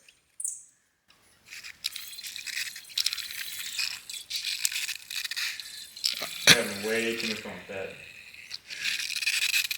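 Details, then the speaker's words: Front shock removed from 1979 Mercury Cougar XR7 (302 V8), stroked by hand: irregular gritty crunches and rattles from inside instead of smooth damping; worn shock, being replaced. "I mean you can just hear it just like crunching and everything inside that's that's hilarious um yeah definitely needed these"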